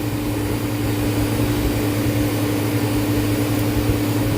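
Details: Walk-in freezer compressor during a pump-down test with the liquid line valve closed: a steady low hum with a constant tone and no cycling yet; the test checks whether short cycling comes from an internal compressor leak.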